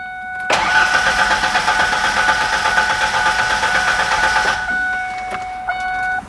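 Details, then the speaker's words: Truck with a crank-no-start: about four seconds of steady starter churning, engine never fires; meter test showed 12 volts at the pump during cranking, confirming a bad fuel pump. "so it's clear after running this test we have a bad fuel pump"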